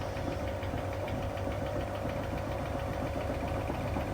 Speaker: That's that rattling sound. That tapping sound now. There you go. That thumping that's changing as the machine speeds up. That is the drum spider shaft at the back of the drum.